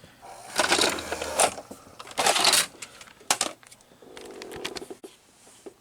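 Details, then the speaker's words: 1980s Hitachi VT-1370A VHS VCR with six-belt mechanism, opened up: clicks and clunks from the front-loading carriage, then short steady motor whir driving gears; tape loading mechanism works normally. "Now here I will at least show you the tape insertion mechanism, so the front loading mechanism."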